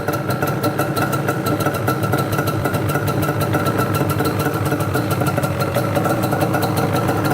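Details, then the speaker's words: Yamaha Banshee two-stroke quad, warm, started first kick, choke seemingly held on: crackly, burbling, uneven idle with smoke from exhaust; running rich while warming up. "A little smoky girl in the back there. Little on the rich side."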